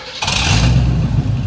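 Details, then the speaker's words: 1978 Pontiac Firebird Trans Am start after restoration build: sudden hard bang, then rough loud V8 catching and running up unevenly; backfire on start. "what whoa we got fire in the hole fire in the"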